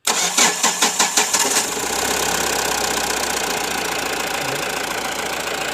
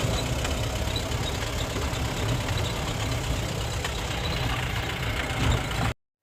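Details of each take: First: Mahindra Bolero Pickup BS4 diesel after repairing a detached sensor wire causing intermittent no-start (codes P0193, P1405 etc.): starter cranks about seven even beats, catches within two seconds and settles to steady idle; starts cleanly. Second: Mahindra Bolero Pickup BS4 diesel with intermittent no-start, codes B2F44-00, P0193, P1405, B2F45-00, U1517-00, no check or immobilizer light: idles roughly about six seconds then cuts out abruptly; stalls.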